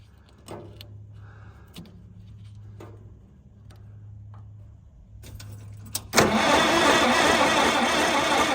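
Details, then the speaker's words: Long-neglected White 2-44 project tractor that doesn't run: sharp clicks and brief cranking bursts, then a loud rough spell that never becomes a steady run; it cranks but won't start, with no spark found despite the correct wire running to it. "Don't believe I've got spark. So we're gonna maybe run this wiring a little differently, or short a wire in here and try again."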